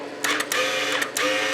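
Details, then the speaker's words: Burnt flux-core welder converted to DC, repaired with a rectifier and heat sink, wire feed set to 10: short bursts of light, even motor whir with the trigger; wire feed works normally. "you can hear the feed is working it's all the way up on 10."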